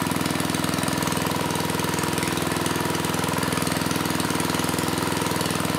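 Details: Mid-1980s Troy-Bilt Junior tiller, 3 hp Tecumseh HS35 engine (H35-45593R), after carburetor cleaning; pilot needle tuned, idle lowered to about 1,000 RPM. Steady, even single-cylinder putter, no misses or surging; normal smooth idle.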